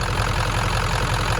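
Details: 1996 Ford F-250 7.3L diesel, warm, with a burned glow plug relay (stuck closed) disconnected: even, steady diesel clatter at warm idle with a low regular pulse and no misses. Running normally.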